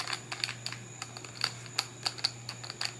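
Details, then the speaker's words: DRC 9300 1/18-scale RC car, rear plastic differential with plastic cups: irregular dry clicks, roughly three a second, over a low hum as the wheels are turned by hand; differential binding or rubbing. "it's a plastic differ differential it's got plastic cups and we you hear it binding it's not supposed to make that noise"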